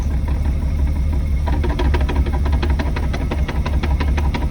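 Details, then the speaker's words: 1998 BMW 328i E36 manual swap with lightweight flywheel: loose, uneven metallic rattle about three clatters a second over deep idle, loud in gear, lighter in neutral, went away once driving; attributed to lightweight flywheel chatter. "and it was hella loud I I put the car in the first second like it was really really loud and even when the car was in neutral it was making this very the same noise but a lot lighter a lot less noticeable"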